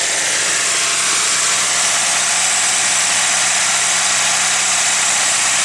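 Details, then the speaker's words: Nissan 180SX ex-drift car, warmed up: steady even idle, faint low hum under loud hiss, no misfire stumble after coil pack checks showed no difference; earlier rough running likely just needed warming up. "Oh, it sounds alright now. Maybe just needed to warm up."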